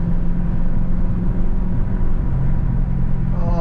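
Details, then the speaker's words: BMW E92 M3 V8 on its first drive after being repaired, light cruising: deep, even burbling rumble from the exhaust with road noise behind; healthy normal V8 exhaust note. "Man, them burble tones out the back is smacking. I love hearing this glorious V8 just rumbling."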